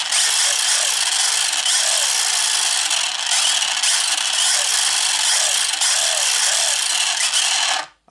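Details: 1/8 scale Hennessey Venom GT RC car with a replacement 4-pole 2430 brushless motor, after the old one burned out: a high hissing whir held steady under throttle with small surges, then a clean cutoff. It runs fine.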